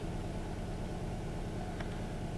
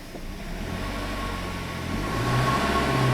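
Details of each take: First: 2008 Kia Rio, manual, flashing check engine light with P0300/P0301/P0303, loss of power and bucking: low, uneven idle with slight stumble; live data shows dead misfire on cylinder three, possibly false counts on cylinder one. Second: 2008 Kia Rio, manual transmission, after tune-up fixing cylinder three misfire: revs climb and hold steady under load with smooth drone, no stumble or bucking, where before a throttle snap gave a bump; no more misfire.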